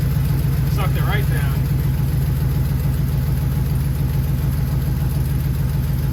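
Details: Truck engine just after a quick repair and coolant top-off, first start: deep steady low rumble at idle with even beat, no knocks or misfires; normal idle.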